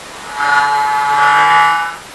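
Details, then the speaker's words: Feiyu G5 gimbal: a high buzzing whine for about 1.5 s, then it shuts off. Metal is touching and marking metal, so the motor is grinding against it and cutting out. "See the metal is touching there, look. Metal, touching metal."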